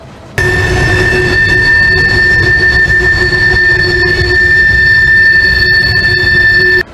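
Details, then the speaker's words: Train wheels on a curve, loud steady high-pitched squeal held for several seconds over the train's rumble; wheel flange squeal as wheels bind on the curve. "yep that famous quing sound that you hear around a curb and really anywhere really well that's the topic today"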